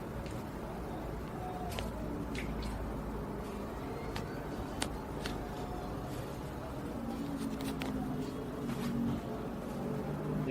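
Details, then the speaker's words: Samsung front-load washer after replacing the broken spider arm, both drum bearings, the tub seal and all four shock absorbers: a soft, even drum tumble with light clicks and no banging. It is running smoothly and balanced. "And uh well here the washing machine is already fully functional."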